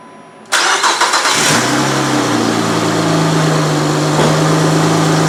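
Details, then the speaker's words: Normal start and idle of a 2007 Saturn Vue 3.5L after timing belt and water pump replacement, refilled with coolant and bleeding air: quick catch after short crank, small rev flare, then steady even idle with no ticking or rattles. "good start down pretty quick"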